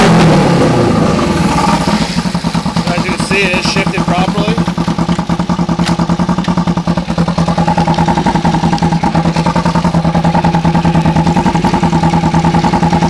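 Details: 2008 EX250 motorcycle chassis with a swapped-in EX500 engine on fabricated brackets. Crisp, even twin firing at idle and through blips, no knocking, tapping or rattles; healthy engine.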